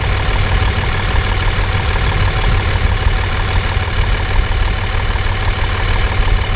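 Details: 5.9 24-valve Cummins diesel, warm, check engine light on from an unplugged CP3 fuel control actuator: loud, deep, even clatter with no muffler and no ticking; exhaust manifold temperatures within about 10 degrees, healthy idle.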